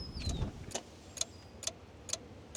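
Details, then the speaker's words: Pickup truck that would not start while loading a mower: sharp even clicks about twice a second with no cranking; battery completely dead, to be jump-started. "Now I need to see if my truck will start. So I opened the door, throw some stuff in here a minute ago. It's clicking."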